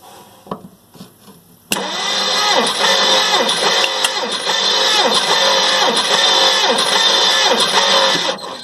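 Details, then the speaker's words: 1958 Plymouth engine, rebuilt 1968, compression test on cylinder 7: even cranking at about four beats a second with alike compression strokes; reads 150, respectable compression. "Let's see what happened down there. $150, that's respectable."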